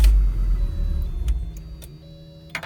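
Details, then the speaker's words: VW T4 van, warm engine, foot off the gas: catches with a loud rumble then fades and dies within a couple of seconds, seeming to choke itself; won't stay running when warm. "seems to choke itself Oh for some reason one more time in touch of the gas pedal I'll try with the gas pedal and hopes of saving foot off the gas let's try this no refuses to run"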